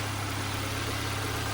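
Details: Nissan Sentra after replacing a grounded ignition coil, idling to warm up: smooth even idle, steady low hum, no knocks, misses or hunting; check engine light still on, owner reports overheating.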